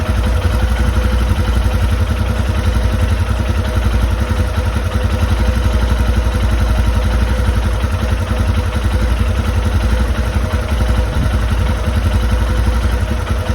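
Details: Royal Enfield Himalayan single at idle; steady thumping with light uneven metallic ticking, source of clicking not pinned down.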